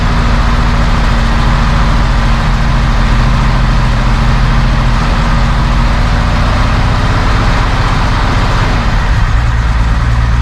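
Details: 1971 Mercedes-Benz 280 SE (W108) six after its mechanical fuel injectors were cleaned and bench-tested: steady, even idle with smooth low rumble, no skipped beats; a little smoke, possibly running slightly rich; sounds good.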